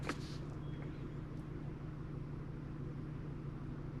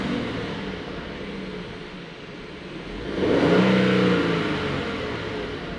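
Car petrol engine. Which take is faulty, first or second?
first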